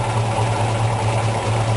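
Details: 1965 Ford Mustang GT, 289 V8, 4-barrel carburetor, 4-speed, timing checked with a timing light at 6 degrees: smooth evenly pulsing low idle, steady beat, nothing ticking or knocking; timing right and the V8 runs healthy.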